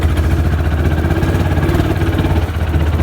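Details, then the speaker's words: Old, worn Kawasaki Mule utility vehicle driving; low engine thrum with an uneven, stumbling beat, sputtering and stalling repeatedly, driver wonders if it is low on gas; engine sputtering. "Hear that sputtering? And Damn it, I stalled it again."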